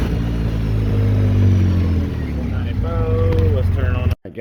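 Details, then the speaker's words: 2013 Polaris RZR 800S 2.0 after an engine rebuild, driving under load: a strong, even note rising and easing with throttle, with no knock, rattle or misfire. Cooling and driving as it should; the rebuilt engine is healthy. "it's creeping and crawling just fine it sounds good cooling like it should driving like it should"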